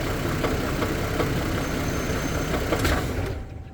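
Engine idling with a dull, fairly regular knock, about four a second, riding over the running; the cause can't be pinned down by ear.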